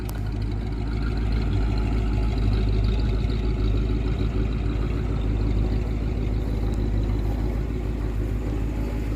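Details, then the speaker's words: Freshly rebuilt Dodge 318 Poly V8 with dual exhaust, first runs, valves still to be adjusted after heat cycles: slight stumble right off idle, otherwise steady smooth even beat, no leaks or ticks; normal idle. "we got a little bit of a stumble right off idle but man this thing runs sweet not a leak not a tick nothing"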